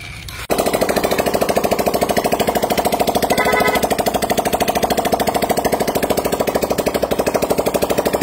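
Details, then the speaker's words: Freshly rebuilt single-cylinder engine warming up after oil-pressure check showed strong pressure with oil rising: steady, even beat about 200 per minute, no knocks or rattles; now quiet, running right. "Warm up muna yan, Kuya Jim. Warm up muna. Pero all good na yan. All good. Tahimik ka. Ayos ah. Tahimik na."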